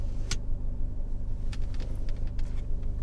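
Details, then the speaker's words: Fiat 124 Spider 1.4 MultiAir turbo idling roughly with a stumble about three times a second and light ticks, feels like stalling; misfire counter intermittent; owner suspects known camshaft issue, not confirmed. "You hear that? Ooh, that just feels like it wants to stall. Surprisingly, it's not counting a misfire right now."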